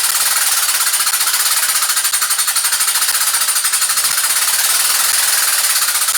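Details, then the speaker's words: Engine with 40 psi oil pressure: hard fast metallic rapping, about a dozen per second, from cylinder number one, previously damaged; owner suspects wrist pin, though it could be other causes. "Got oil pressure, got 40 pounds of oil pressure with a knock like that. But I think that it's going to be the wrist pin."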